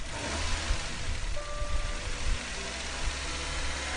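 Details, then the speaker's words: 2001 Nissan Almera N16 1.5 QG15DE petrol just after oil and filter change: quiet smooth idle with gentle revs rising and falling evenly to circulate oil, no knocks or rattles; normal engine. "so starting the vehicle waiting for that oil pressure like to go out but a nice smooth idle and just revving the vehicle gently"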